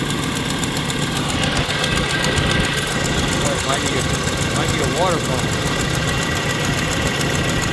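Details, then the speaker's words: Donor ~2003 Chevy truck, LS V8, 4L60E, 2WD, drive-by-wire, hot-wired start: a steady idle with a faint, quick ticking in step with firing from an exhaust manifold leak or two, otherwise running pretty good; exhaust manifold leak. "but what would a chevy motor be without an exhaust manifold leak or two however it runs pretty good"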